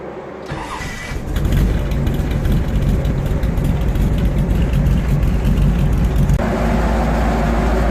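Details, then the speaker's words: 1957 Chevy Bel Air restomod, first cold start after changing motor oil, transmission and differential fluid: cranks, catches and settles into a slightly lumpy, uneven idle; mild rough cold start, nothing bad but not as smooth as it could be. "a little little bit of a rough first start nothing bad but definitely not as smooth as it could be"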